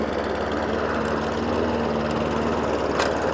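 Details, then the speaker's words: Hayter Ranger 53 mower saved from the dump, new spark plug: steady low bubbly drone with soft burble that never reaches full revs at full throttle; governor/throttle linkage out of adjustment, multi-speed drive possibly also not working properly. "so that's revving but it's not revving anywhere where it should be so idle down and line it up Air Drive but it's just not doing what it should be doing"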